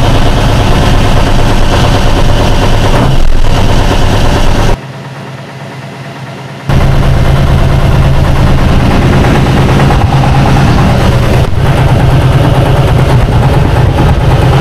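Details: 1976 Tatra 813 V12 diesel after restoration following 20 years of sitting, with a deep, even rumble at idle and a steady beat, no knocks or misses; it idles smoothly and sounds healthy.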